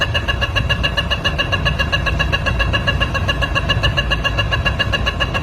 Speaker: Это что за звуки такие? Это что за петушиные звуки такие?